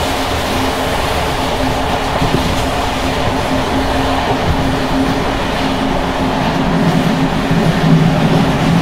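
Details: Bd264 481 coach (built 1979), Görlitz V bogies many kilometres since last major maintenance, evening express on rough line 190 near Hluboká nad Vltavou–Číčenice, heard from compartment or open window: loud constant rumble with loose irregular clattering as worn brake rigging bounces.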